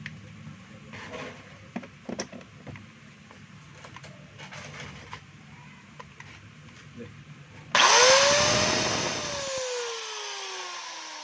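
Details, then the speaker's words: DeWalt DWE8300S 4-inch angle grinder test run after repair: the earlier noise was from the bearing, and now a clean high whine spins up, then coasts down evenly with no grinding or rattle; it runs normally. "So wala na po yung ingay niya mga kabay dahil lang po yung sa bearing. Kaya maingay po."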